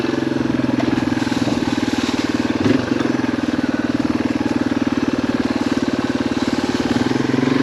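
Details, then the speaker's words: Yamaha XT225 single on a road ride at about 78°F, with a new clean air filter fixing an earlier airbox issue and started without choke: pulls with an even, steady beat and no stumbling or cutting out; carb running healthy. "But it seems like the little carb's doing great. Now that we got a good clean air filter in there, it's not cutting out or anything."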